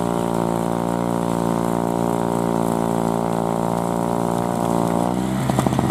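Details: 2003 Murray single-stage two-stroke snowblower, unrun 5 years, started first pull after priming; steady high buzzing note holding even speed while cutting a path under load, no misses or surging; normal healthy running.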